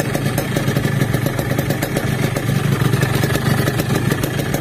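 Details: Yamaha RX King two-stroke, fuel tank not yet fitted, with a complaint of weak power and poor hill climbing. Steady, even idle with a quick crackly beat and no misses or knocks; the idle sounds healthy, and a swingarm noise was reported separately.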